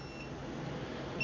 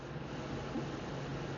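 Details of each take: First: Stacyc 12/16eDrive kids' electric balance bike run on an aftermarket Makita battery: high, thin repeating controller beeps, the error code for an overheated battery or a fault in the battery recognition circuit. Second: Stacyc 12/16eDrive-type motor controller entering speed programming mode; over a faint hum, a short high beep then a longer one, normal programming beeps.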